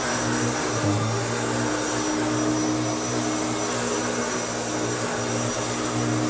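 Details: Restored Hoover Turbopower U2724 upright vacuum with a new belt, cleaning a stiff wall rug: steady even motor drone, constant low hum and airy rush, no rattles or pitch wobble; normal, healthy running.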